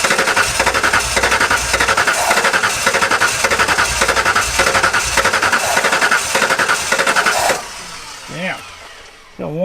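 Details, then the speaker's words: Abandoned 1993 Ford F150 cranking after sitting 14 years: uneven sputtering chuff with gaps, sounding like only one healthy cylinder firing; sticky injectors are suspected, and brake clean is used to rule out an ignition issue. "healthy cylinder in there and that's it. Let me grab some brake clean. Make sure it's not an ignition issue."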